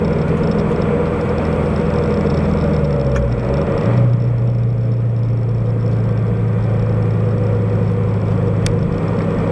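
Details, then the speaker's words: Subaru BRZ/FT-86 with SpeedFactory header and exhaust, in-cabin while cruising after fixing header rubbing the debris shield: steady low drone whose pitch dips briefly then holds even, no rattle, buzz or vibration; torque dip gone, exhaust sounds healthy. "it drives just as smoothly now as it did when it was stopped"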